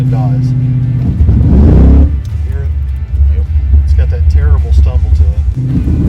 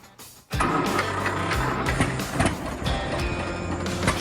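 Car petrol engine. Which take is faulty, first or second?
first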